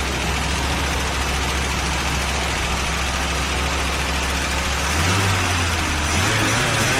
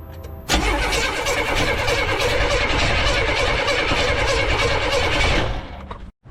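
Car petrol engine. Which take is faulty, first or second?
second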